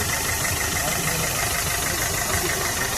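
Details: Maruti Suzuki Swift diesel, about 144,000 km, after timing chain kit replacement, idling warm for about 1.5 hours in heavy rain: smooth, steady idle with no ticking or chain rattle; engine sounds smooth, no malfunction light.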